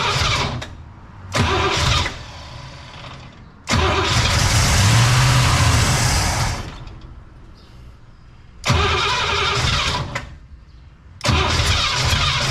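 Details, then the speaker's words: Cadillac "Lil Debby" with carb, new fuel pump, fuel line blown out back to the tank: repeated starter cranking bursts that die without catching; no fuel delivered, possible tank issue suspected. "Well, we're still not getting any fuel yet. We may have an issue in the tank also."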